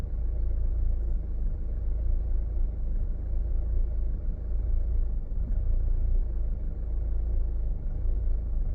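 Low idle rumble whose loudness swells and dips unevenly instead of holding a steady beat; the engine is idling rough.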